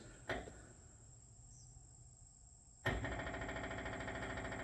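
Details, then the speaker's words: New Lincoln Ranger 330MPX welder generator before first startup: after a pause, the electric fuel pump primes with steady ticking at about three a second, the knocking getting quieter once fuel reaches the line; normal priming. "the knocking is not as loud. I think that's because it finally got fuel through the line and and now it's, you know, just doesn't resonate as much."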